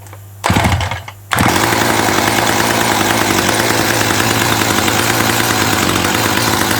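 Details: 1984 Dolmar 100 two-stroke chainsaw, warm, after repairing its snapped throttle linkage: it catches after a couple of pulls and settles into a steady, buzzy, high-revving run with no misfires, running normally.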